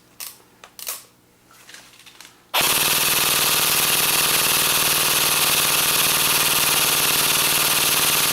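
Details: AEG airsoft AK on full auto after a feeding-issue repair, fully loaded magazine: a sharp, rapid burst at an even rate with no stutter or dropouts; the gun cycles and feeds properly.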